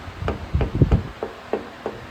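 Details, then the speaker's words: 1970 VW Beetle chassis under restoration: dull hollow knocks, about three a second, as the clutch tube is rocked by hand; its rear mount isn't secured, though the front is. Plan is to weld it, likely where the old rust spot is. "And this is your clutch tube. And this is the one I want to make sure is secured, because it's supposed to be secured here, which I don't."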